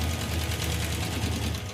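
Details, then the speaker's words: Hemi V8 in the Hemi Gremmie, which has been running hot: fast, sharp ticking rides over a rough, lumpy idle and gets louder; valve train noise, suspected collapsed hydraulic roller lifter or loose rocker arm. "well the number one problem here is the valve train noise it's really loud and I think it's a hydraulic roller lifter that's collapsed"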